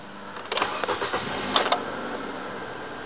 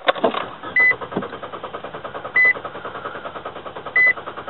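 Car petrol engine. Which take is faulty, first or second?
second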